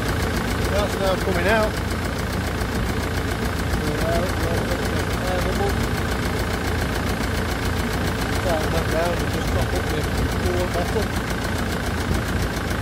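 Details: Land Rover Defender Puma 2.4 TDCi, first start after rebuild with new wiring loom and oil pump, fuel and coolant bled, cold windy day: steady diesel clatter at an even idle, no knocks or hunting; healthy.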